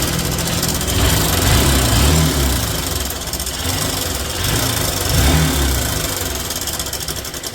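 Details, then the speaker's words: Honda Shine single-cylinder bike with a worn timing chain due for replacement. A loose, fast metallic clatter over the idle that follows the revs: timing chain rattle. "आज एक मेरा पास problem आया है Honda कब shine तो उसका typing change खराब हो चुका है उसका इंजन का साउंड ए रहा है"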